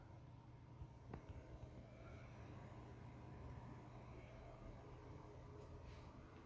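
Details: PS4 Pro after cleaning the fan and interior and renewing thermal paste, running almost 40 minutes at the Modern Warfare start menu; only a faint, steady low hum with no rattle or whine: normal fan noise.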